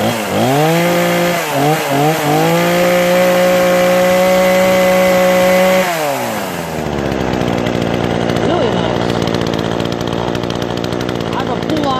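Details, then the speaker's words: Brand-new Remington Outlaw RM4620 20-inch gas chainsaw (MTD Southwest recall replacement), first start after priming and full choke: holds a high steady two-stroke scream, drops cleanly, then idles evenly; easy, reliable start, normal running. "that's all there is to it man this was easy really easy pretty reliable start"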